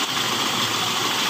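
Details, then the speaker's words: 1997 Toyota Kijang Grand 5K carburetted engine, fixed after stalling/no-start problems, is warming up at a short, steady, even idle hum with no knocks or stumbles, running normally before the distributor (delco) replacement. "a&g teman-teman ini udah hidup normal seperti ini ya nanti paling kita lanjut untuk acara penggantian delco apa delco Kijang 5K ya"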